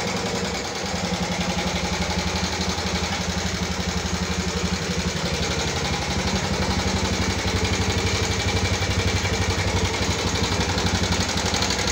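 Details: 2014 Yamaha Jupiter MX carburetor motorcycle at idle, complaint of rough engine sound: steady rough "kletek" clatter, about three ticks a second over a low engine hum; top-end ticking noise, cause suspected, not confirmed.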